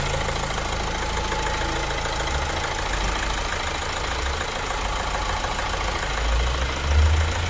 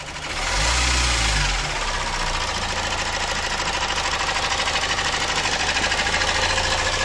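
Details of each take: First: Opel Insignia 1.6 136 hp diesel, about 154,000 km, after timing chain replacement and engine cleaning: even, steady idle with a smooth low rumble and no knock or rattle, before highway test. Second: Opel Insignia 1.6 diesel 136 hp at about 154,000 km, idling with rapid steady tak-tak tapping clatter about three per second, heard about a metre from the car: worn timing chain, later fixed by replacing the timing chain parts and oil pump.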